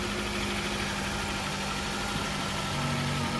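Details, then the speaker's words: 2009 Dodge Caliber at city auction, fired right up on a jump box; quiet even idle with steady low hum, no ticks, knocks or hunting; sounds very quiet, normal idle. "$85 on the key fee on the Dodge Caliber. Jump box hooked up to it. She fired right up."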